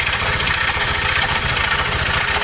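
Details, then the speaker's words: Honda Vario 150 scooter engine at idle: harsh, rough clatter with heavy rhythmic knocking that never smooths out, sounding like it is falling apart inside; engine then stripped, connecting rod knock from worn, loose con rod and scored piston. "suara sangat kasar-kasar parah dari sini merembes"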